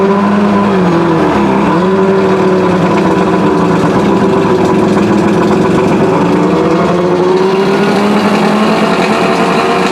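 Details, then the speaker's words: Outboard motor, cooled with water to mimic lake conditions, started using raised fast idle and push-in primer choke held about four seconds: steady, smooth drone dipping briefly and recovering, now starting with no problem while still warming up. "it's still warming up a little bit but as you can see it's now starting with no problem"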